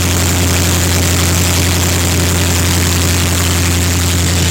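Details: Land Rover Discovery just after a replacement transmission was installed (the old one was ruined by flat towing): the engine settles after a restart into a steady, even run with a deep low rumble and no knocks or squeals.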